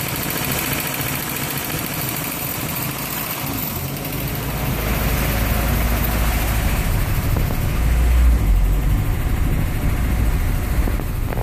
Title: 240sx Ka24e rough idle